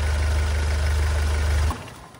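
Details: Hyundai Starex GRX diesel that would not start, with codes P1183 fuel regulator and fuel rail sensor from weak diesel supply: after repair it idles with a smooth, steady low rumble, then is switched off.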